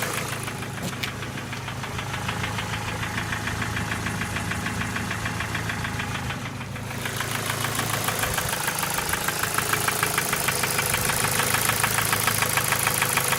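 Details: Ford Focus 2 1.6 100 hp engine: sharp, regular light knock about three per second over idle, louder as revs rise; piston pin knock, otherwise starts well and uses no oil.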